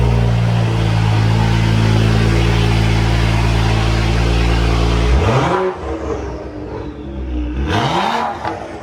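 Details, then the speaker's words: 2011 BMW 335xi N55 engine after spark plug replacement, checked for misfires: smooth, even idle with steady low hum, then two clean revs rising and falling; no misfire, running healthy. "All that's left is start it up, make sure there's no misfires, and she is good to go."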